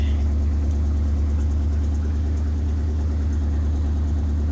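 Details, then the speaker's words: 1967 Ford F-350 flatbed truck, 302 V8, after sitting a couple of months: deep, steady idle burble, even low thump with no knocks or misses; normal idle. "Good to hear this old truck purr again."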